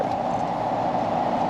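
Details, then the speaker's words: 2017 5-ton home AC outdoor unit, not cooling well downstairs, customer reported humming: steady low electrical buzz with no motor spin-up, the unit humming but not starting; failed run capacitor. "All right, folks. So I think we got the old death buzz. Probably gonna be on this one right here."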